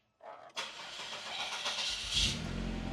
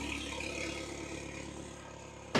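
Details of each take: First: 2003 Saab 9-3 after a fuel pump replacement and refuel: the engine catches roughly, then a steady loud high-pitched whine persists over the idle, the same noise two new pumps made. A tuner suspects the pump basket; the cause is unconfirmed. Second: 2003 Saab 9-3 with the original factory fuel pump reinstalled, idling with the exhaust disconnected: a quiet, even hum with no knocks or stumbles, apart from one handling click. The engine runs normally.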